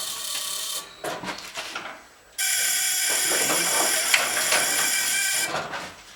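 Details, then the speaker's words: Model T Ford swap-meet ignition coils buzz-tested. Coil number 4, the weak one, gives a high-pitched buzz that stutters and cuts in and out like Morse code instead of holding steady. Weak ignition coil. "There's number 4, the weak one. You hear that? I don't know which one it is. Sounds like it's Morse coding"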